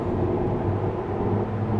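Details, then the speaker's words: 2007 Ford F-150, leveled 2 inches, on new 295/60R20 (34x12) Nitto Trail Grappler mud-terrain tires: steady low droning tread hum while cruising, not too loud; normal tire noise, though an exhaust manifold leak is also present. "and listen and admire the hum of the meadow trail grapplers"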